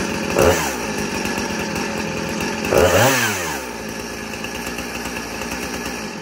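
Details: 2010 Husqvarna 455 Rancher chainsaw, chain brake removed, saved from scrap pile: crisp two-stroke buzz, two clean rev-ups rising and falling smoothly, then steady even run; normal running, a good runner.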